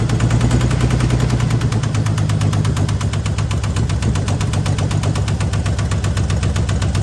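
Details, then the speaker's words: 1978 AMC Hornet inline-six (firing order 153624), idling: rough idle with a steady dull knock about two to three per second over the low rumble; suspected rod knock. "sure sound like a rod knocking to me surely the guy wouldn't have lied to me but yeah maybe"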